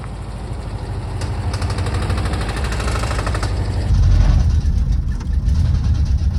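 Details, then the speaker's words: 1968 VW double cab Transporter, stored 5 years, driving: low uneven knock two or three a second over engine rumble; engine knock, source unidentified. "some of you VW guys out there, let me know if you have any opinions or anything or if uh you hear anything in the video and you might be able to identify what that knock could be."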